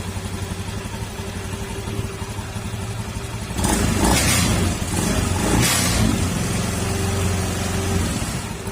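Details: Honda Beat FI scooter CVT after tightening; the earlier cricket-like noise from worn rollers and slider pieces is gone. It idles, revs and settles smoothly with no rattle or grinding. The leaking pulley-side crankshaft oil seal still needs replacing.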